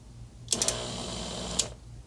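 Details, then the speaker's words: 1935 IBM Model 01 typewriter switched on during repair attempts: motor spins up with a harsh, gritty grind and sharp clacks, something still dragging on the drive and a strong smell. Cause suspected, not confirmed. "Don't like that sound. Okay, it was definitely still grinding on something. That sounded really bad."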